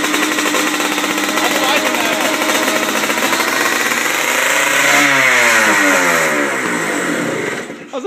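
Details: 1997 Yamaha Blaster 200 two-stroke, first start and break-in after rebuild: crisp ring-ding revving high and steady then dropping cleanly as throttle closes, no misfire; clutch seems not to engage.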